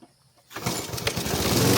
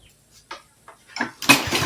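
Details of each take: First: Repaired roadside-found Troy-Bilt variable speed push mower: silence, then one pull and the small engine catches at once and settles into a steady even run; normal start. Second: Roadside-found Troy-Bilt push mower with no primer: repeated cord pulls turn engine over freely with rattling whirr but it never catches; cranks, no start; carburetor later found dripping, owner says it needs a rebuild.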